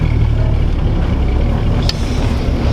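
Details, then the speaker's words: 1949 Chevy 3100 with Jasper replacement straight-six on a 6-volt system, cold January night, about 24,144 miles on the odometer: deep, even rumble with steady beat, no knocks or ticks; great oil pressure, engine sounds healthy. "so long story short this thing has great oil pressure and as you can hear it sounds amazing"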